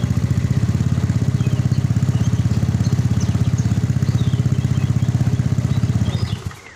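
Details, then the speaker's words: Yamaha Mio engine rebuilt for weak compression, no idle, a knocking noise and smoke from a scored bore, test-started after reassembly: single cylinder putters at an even, steady beat with no knock or rattle, then shuts off; normal idle. "Oke teman-teman untuk mesinnya ini sudah Kita rakit semua tinggal kita naikkan ke bagian rangka lalu kita tes kita coba hidupkan"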